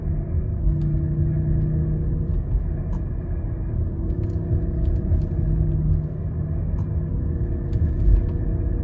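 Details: Loud failed wheel bearing: a low steady growl while rolling slowly. It changes or disappears with slight steering input and is much louder around 20 mph. Loading one side suggests which side, though this isn't guaranteed.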